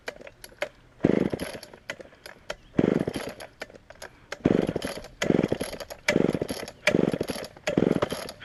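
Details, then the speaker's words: Auction-bought Homelite Super XL chainsaw first start on secondhand non-ethanol boat fuel: fires in short uneven bursts, blipping and falling off instead of holding idle; lean on the bottom, needs carb adjustment or diaphragm to soften. "hmm definitely lien on the bottom and either gonna have to adjust that or maybe just let the carburetor diaphragm kind of soften up here"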